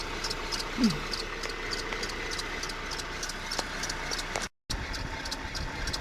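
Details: Renault F4R engine at even idle: crisp, regular tick roughly three to four per second over the engine; unexplained top-end tick.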